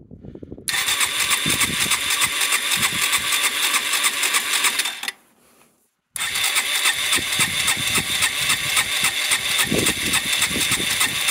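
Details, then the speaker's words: Yamaha SR125 on its first start in three years, with cleaning spray in the carburetor boot, fuel hose and float bowl: thin, buzzy running holds one speed, cuts out briefly, returns, and won't rev. "I have no idea how quickly this stuff off gas is but it sounds to me like it's running won't rev but then what do you expect"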